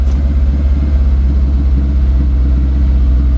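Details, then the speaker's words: 2008 Mag XT Chinese work truck: deep steady fast idle that won't drop; owner suspects idle was turned up to compensate for earlier running on three cylinders, or a vacuum line off. "I wonder if somebody turned the idle up because it was running on three cylinders before turn the idle up to kind of compensate for it a little bit we'll let it run a little longer too see if it settles down"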